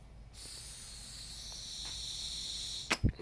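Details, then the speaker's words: Fuel pump on an Evinrude outboard, tested by blowing air through it: a steady airy hiss with no diaphragm pulsing and no flow out. The thumb screw was stripped and not sealing, so the air escaped back out past it. "you heard before i'd blow in this and it would make you could hear air coming through but nothing would come out of this and the reason for that is because this was stripped out and so this was not sealing and all the air was just blowing back out through the thumb screw"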